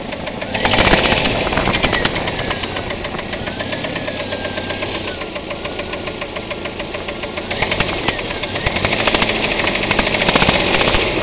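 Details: 2.5L Jeep petrol engine at idle: a sharp, rapid knock, roughly three or four taps a second, over the steady run; owner is unsure of the cause.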